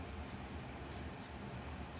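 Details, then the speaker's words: 5V USB-powered car LED ambient strip light: faint steady low hum throughout; owner suspects the strip is not getting enough power, unconfirmed. "Humming. I don't like that. Either it's not getting enough power through it, so it's causing it to hum."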